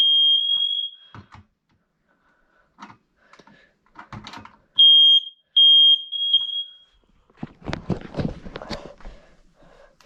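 Two loud, shrill high-pitched tone bursts sound from a quiet room with a few knocks around them; the test button sets the smoke alarm off normally.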